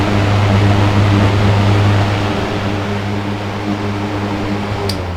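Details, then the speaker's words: Mid-1970s Manning Bowman 3-speed box fan with new cord, cranked back to high: strong steady low hum with even whoosh holding level; running healthy. "Medium. Crank it up to high one more time."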